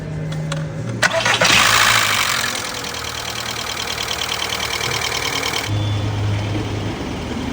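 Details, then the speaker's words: 2003 VW Bora with about 2,000 miles, stood nearly 10 years, first start after a new in-tank fuel pump and tank clean-out: brief crank, then catches cleanly into a smooth, even idle with no smoke; normal start and idle. "no smoke this been stood for best part 10 years she's alive"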